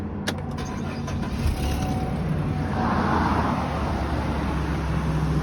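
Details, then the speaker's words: 2019 Chevy Express, about 40,000 miles, cold start a few days after oil change and lifter/injector cleaning; light, uneven tick about four per second over idle, suspected exhaust manifold gasket leak on one side of the engine. "Sounds like you have an air leak. stop it and start it again. You have an exhaust leak on this side of your engine."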